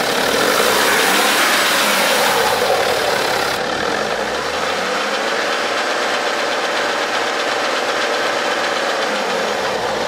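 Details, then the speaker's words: BMW 5 GT xDrive with 3.0-litre turbo engine, revved after start: light rapid metallic rattle about four beats a second; quiet at idle; mechanic suspects a stretched timing chain, not yet confirmed; engine must be lowered to inspect. "엔진 소음은 타임이 체인 쪽에 방향에서 다는 것 같아요 요 차량은 에 놓칠 엔진 인데 3.0 t 이제 타임이 체 이 늘어난 걸로 추측이 되고"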